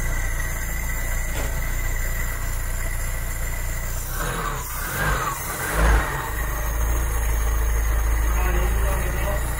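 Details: 1972 Mk3 Ford Cortina GXL after a tune-up: a low, steady, even rumble with no misses or knocks and brief handling noise midway. The idle is smooth and settled, sounding nice.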